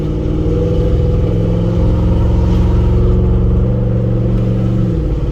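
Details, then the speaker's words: Ford Expedition flip, low on fuel, with loud aftermarket pipes: loud low exhaust drone holding steady then dropping as revs fall, engine pulling smoothly with no knocks; shifting as it should; normal running. "There we go. Loud pipes, motor running. You can hear me when I'm coming."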